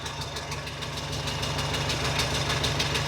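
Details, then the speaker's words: Ferrari 308 warm after a drive: fast light ticking in step with the idle, with visible smoke at the exhaust manifold. Manifold nuts had worked loose; tightening one set didn't fully cure the blow. "Now, there's definitely smoke coming from this area. Uh and actually, we can see it."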